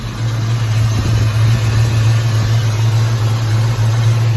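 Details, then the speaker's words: 1986 Mustang SSP just after new spark plugs and wires: low steady idle rumble, even beat, no skips, running much better than before; owner thinks it still runs rich and needs a fuel regulator. "no sparks that's a good thing we don't want any fires uh yeah well I mean everything seems to be running a lot better than it did"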